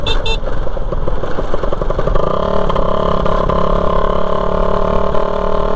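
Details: Raider 150 motorcycle riding on a four-lane highway with the muffler detached; raw, harsh exhaust bark over road noise, much louder on throttle, from the open exhaust connection.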